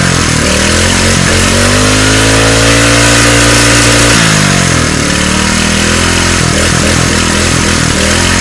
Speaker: uh so my dad just told me that if i fix this engine i could have it so i got it fixed now i'm gonna show you what she sounds like